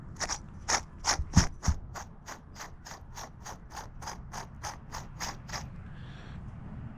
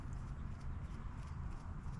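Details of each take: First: Trek Shift 3 bicycle bottom bracket turned by hand, no load: dry, regular ticking about three clicks a second from dry bearings; replaced with a new bottom bracket. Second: Trek Shift 3 bicycle, new replacement bottom bracket turned by hand: almost silent with no grinding or clicking, well-lubricated healthy bearings, unlike the old dry-bearing unit.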